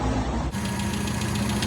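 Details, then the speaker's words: Retro racer on a tuning day, choking at about 35 mph with lots of backfire; plugs, coil, advance curve fine, carburettor found faulty: uneven, lumpy chugging pulses with no clean beat. "she's now choken basically 35 M an hour lot of backfire all right okay so yeah what you what you're saying is it's not happy and it's not running well"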